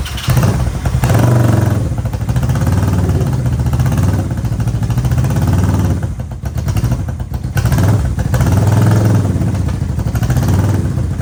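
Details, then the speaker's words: Honda CB360T twin, not run for many years, cold first startup on full choke with carbs fitted, adjustment uncertain, and minimal air filter: loud, lumpy low rumble rising and sagging unevenly as it catches and runs. "see what we got for choke we are at full choke let's do the no jump"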